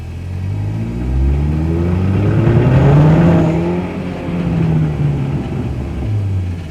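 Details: VW Polo 6N2, off the road for six years: engine and drivetrain rise and fall smoothly with speed, only a slight scrape underneath; the prop shaft balance-weight banging is gone, normal driveline running.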